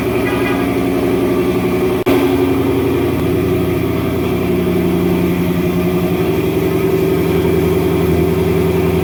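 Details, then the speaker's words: Ford Mustang GT RTR Spec5 widebody, E85-friendly headers with stock catback, cold start: deep, even V8 burble at raised cold idle, steady firing, no knocks or ticks; normal cold start idle. "But if you haven't heard this thing cold start yet, you're in for a treat."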